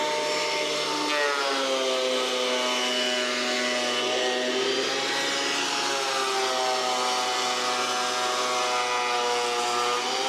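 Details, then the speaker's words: Old planer after new knives were fitted and it was reassembled, test-cutting a board at one full crank of depth: steady high whine that sags as the board feeds, then recovers; motor and cutterhead sound healthy, normal planer operation. "So I got the planer all put back together, so I'll probably just like grab one of these boards right here, we'll run it through and test it out."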